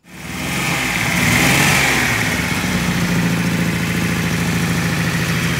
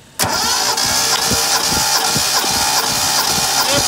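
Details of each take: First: 1972 Datsun Cedric engine start; voltage 14-15 V shows alternator working, battery weak. Starts and revs briefly, then an unsteady, lumpy, uneven idle; rough running from fouled spark plugs. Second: 1972 Datsun Cedric six-cylinder cranked with all spark plugs out for a compression test, readings about 10.5-11.5 and similar across cylinders. Fast, even starter cranking about four beats a second, every stroke alike; normal cranking.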